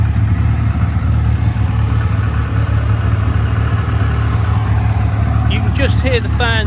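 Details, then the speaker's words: TVR Cerbera 4.2 V8 idling: loud steady rush of air as both radiator fans come on over a low, even idle; normal fan operation, nothing abnormal. "fans come on. They're very loud, as is everything. There you go, that's both of them."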